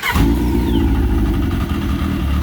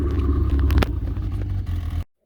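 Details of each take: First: Yamaha RX1 after ignition coils were cleaned of rust to stop arcing; on test ride it still misfires, revs blipping up and down with a stumbling, uneven note and clutch rattle underneath; misfire traced to gummed-up carburetors, which were then cleaned. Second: Yamaha RX1 snowmobile after fixing ignition coil arcing from rust and a gummed-up carb: deep, steady rumble with an even beat and no stumbles or skips; runs smooth and clean, the misfire is gone.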